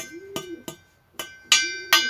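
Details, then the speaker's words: Nearly new two-stroke expansion-chamber exhaust, tapped for comparison with a carbon-clogged one. Five sharp taps each ring with a clear, lingering metallic tone; the pipe resonates freely, showing no carbon buildup. "ça résonne bien donc london ya pas de calamine normal il est quasiment tout neuf"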